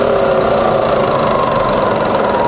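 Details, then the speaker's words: Fully rebuilt Bridgeport milling machine, variable speed head, spindle running in speed test; steady even mid-tone whirr as spindle spins up, no knocks or grinding, healthy. "we're gonna test now the variable speed head and the quilt so we're currently running 700 RPM here"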